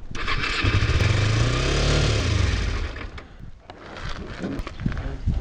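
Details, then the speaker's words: Used Kawasaki Ninja 250R, apparently dropped, started on choke: small twin barks and surges unevenly, then sags and stumbles; running rough, needs a tune-up, cause unknown. "Whoa. This bike really needs a tune-up. This bike sounds sick. Like it's... Something's not jiving there."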